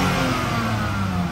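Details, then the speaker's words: Used car at Copart auction with no dash or check-engine lights, light rev: steady, even petrol engine note with no knocks, rattles or roughness; normal, smooth healthy engine. "She sounds good, guys. Very smooth, very healthy engine. Very healthy engine."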